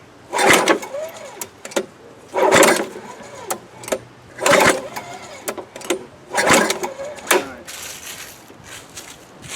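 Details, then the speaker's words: Free 1998-era Craftsman 22-inch mulcher mower with a 6.25 hp engine, fuel added: repeated pull-cord cranking bursts with no firing. Owner suspects no spark or a badly flooded engine; intake found dirty. "Nothing? Nothing. Dang, Tim, I thought you'd be the good luck charm. Yeah, may not be, might just not be firing. Or probably just flooded it out big time."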